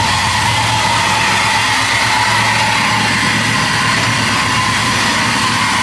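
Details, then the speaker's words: Chevrolet C10 after new wiring harness, injectors and vacuum leak fix: steady, even idle with no hunting, stumbles or surging; runs healthy. "It looked like she's idling steady. It would have started acting up by now."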